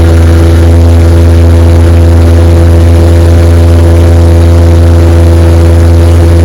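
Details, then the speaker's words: 1961 18 hp Evinrude outboard after new rubber prop hubs fitted, chilly afternoon, 14 ft boat at 22 mph: strong, steady drone with fast, even firing and no misses or rattles; runs beautifully. "took care of it she runs beautiful man this motor screams 22 miles an hour on my 14 foot feathercraft"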